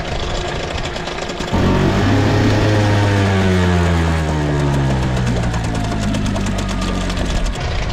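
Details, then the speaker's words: Outboard with flathead idle screw about half turn, at lowest position, peeing good water; catches and settles smoothly to an even low idle with no misses; normal idle. "So, that was the lowest position. So, that's about pretty good right there."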